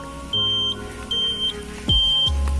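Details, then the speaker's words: 2002 Yamaha F1ZR Caltex Special Edition two-stroke motorcycle with high mileage: a shrill, loud beep switching on and off about once a second with the blinker, so the turn-signal buzzer works normally. "Sen oke lah, pasti bunyi kalau sen. Suaranya nyaring banget. Kalau di jalan itu jadi pusat perhatian ya."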